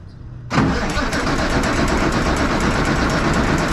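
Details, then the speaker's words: 1965 Kenworth W900 Cummins diesel, wouldn't start for 3-4 years, new starter, clutch down: starter spins engine with steady chugging churn but it never fires; no fuel coming out of stack, crank no start. "no okay there's no fuel coming out of it"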